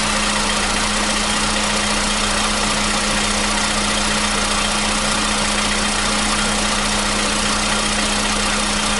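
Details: 2015 VW Polo Sedan at 76,000 km, new battery, cold start. For years it knocked only when cold, and worse on Rosneft oil. Steady, even cold idle with a constant hum and no knocking or ticking; the knock has suddenly disappeared. Normal cold idle.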